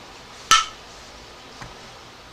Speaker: that's the sound is the lid popping down what that means is that a vacuum has been created inside so these are now sealed